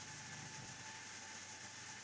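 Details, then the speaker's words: AMD FX-8350 stock CPU cooler fan under load, not yet at 100%, with the CPU near 68°C: a constant loud rushing hiss with a steady mid-pitched hum, like having a server beside you. "I believe you can hear the noise that this fan makes. It's just awful. It's the worst thing that can happen to you when you're working and you're trying to concentrate on something, and it's like having a server right beside you."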